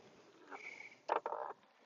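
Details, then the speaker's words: Onewheel board in low-speed tight turns rolling onto tire edge: short rough grunting bursts from the hub motor, signalling it is nearing its power capacity. "that motor grunting is a good signal that you're reaching the capacity of the motor."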